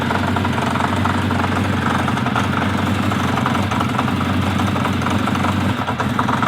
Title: Kawasaki Z 500 B 1980 engine knocking ticking